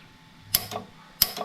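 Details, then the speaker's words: Preset 125-shot NOS Powershot nitrous plate system, engine off, arming switch on and throttle wide open: two crisp double clicks as the nitrous solenoids open, normal solenoid clicking. "turn on the arming switch and make sure I can hear the solenoids clicking. So, we'll start with that. Okay. So, I heard the solenoids clicking."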